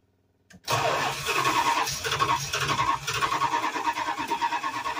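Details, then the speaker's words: Old motor home Mopar 440 V8: silence, then it catches and runs with a lumpy, surging beat only on gas poured in; owner suspects bad fuel pump or clogged jet. "Oh either our fuel pump is no good or fuel pump's no good or the Jet's clogged something but she's running making a big old Mass mess with gas sweet"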